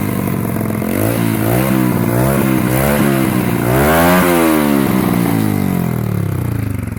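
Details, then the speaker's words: Restored 2004 110cc Chinese pit bike, now running and rideable though lacking a rear brake: crisp, even firing rising and falling smoothly through throttle blips. Healthy normal running. "this point the bike is in running rideable condition and has cost me a hundred and twelve pound 27 P"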